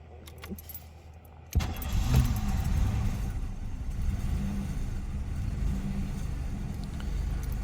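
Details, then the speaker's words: 1990 Oldsmobile 98 Regency at start-up: engine cranks, catches and settles into a rough low idle (service engine soon light, probably needs tune-up) with a steady rattling whir from the noisy spinning AC compressor clutch. "you can probably already hear the noise I'm talking about with the AC compressor is noisy that's what I was talking about with that piece spinning the clutch"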